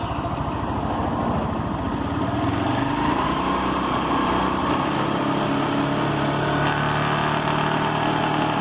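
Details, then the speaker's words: Motorcycle at medium-high speed: loud engine with loose, uneven rattling buzz, vibration persisting after tightening everything; owner suspects the two internal gears, unconfirmed. "últimamente en la moto se escucha un ruido Como cascabeleo pero no sé qué sea a ve se alcanza a escuchar a media alta ya empieza a [Música] vibrar ese ruido"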